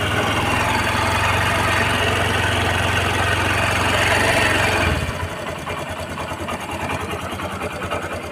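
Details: Honda SP 125 BS6 with a starting, stalling and misfire complaint, after the fuel pump and its filter were cleaned and reinstalled: self-started, it settles into a steady, even idle with a smooth low thrum and no stumbling or hunting.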